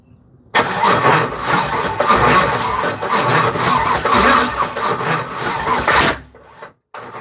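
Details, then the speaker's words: Third-gen (1982–92 F-body) Camaro, compression sounds good, starter fluid gave fireballs; starter cranks about 5.5 seconds without a catch and won't fire. Owner suspects injector not working, no spark, timing off, or a bad ground; battery hot. "Everything's plugged up. The injector's not working. Is there spark? The timing off."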